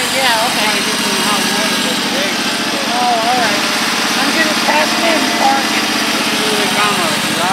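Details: Husqvarna YTH1342XP 13 HP mower after fixing a bad PTO with a seized bearing, likely what stalled the engine: steady, even drone holding constant speed under load, no knocks or misses. Normal running.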